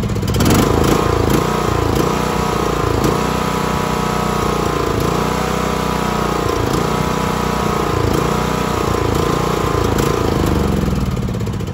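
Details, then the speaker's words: John Deere LA115 riding mower that dies after 30–45 minutes of mowing: engine runs but sags and recovers every second or two, can be kept alive by feathering throttle; fuel starvation from a clogged fuel cap vent causing tank vacuum. "so it does that and you can actually feather the throttle and keep it running but it just eventually it just dies"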